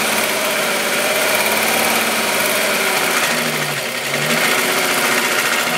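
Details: VW Golf VR6 2.9, 103,000 km, steady idle: a busy metallic rasp and whirr, like a chain brushing its guides. The owner's long-standing chain rub got louder after replacing the upper hydraulic tensioner screw. Timing chain rubbing suspected.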